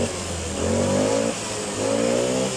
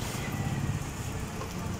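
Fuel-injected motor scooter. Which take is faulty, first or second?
second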